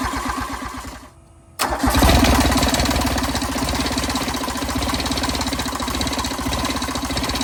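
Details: 1986 John Deere 330 diesel garden tractor, long abandoned, fuel lines bled, glow plugs removed: engine turns over, goes quiet briefly, then catches and settles into a rough chugging idle that keeps running.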